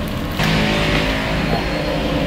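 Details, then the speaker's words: Washing machine motor after a fix for a humming fault using only lubricant: a steady, smooth, even hum with no grinding, knocking or labouring. It now runs normally. "sepertinya sudah oke ya, sudah normal ya. Halus sekali ya suaranya ya."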